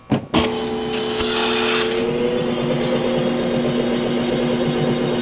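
Vacuum motor spins up to a steady whine that dips slightly as water slugs through, then settles; it is pulling the drain clear.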